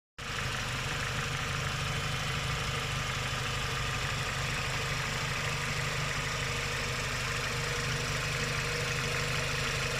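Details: Renault Logan K4M at idle: steady idle with a fast, light ticking on top at about three per second from noisy hydraulic lifters, cured with an oil additive.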